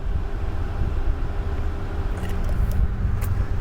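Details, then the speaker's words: 2017 Toyota Tundra: after cranking and turning the key off, the engine keeps idling steadily and evenly with a low rumble, running on for three to four minutes instead of shutting down. "well this truck when we crank it and turn the key off it stays running uh and it varies sometimes 3 minutes sometimes 4 minutes"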